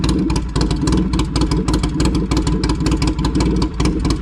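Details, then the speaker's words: 2007 Polaris Sportsman 700 ATV at idle with the muffler removed during a muffler change: a deep, loud, uneven-firing bark like a V-twin motorcycle. Loud exhaust running open, muffler off. "I don't think they like me riding around with that noisy thing on. Oh man, that sounded like a nice Harley though."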